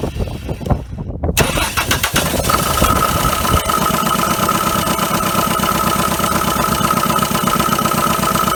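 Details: 1980 Dodge Colt Challenger, carbureted, sat 15–20 years, mechanical fuel pump fed from a gas can not filling the float bowl: starter cranks, engine catches into uneven loping idle, then stalls; carburettor fuel starvation suspected, unconfirmed.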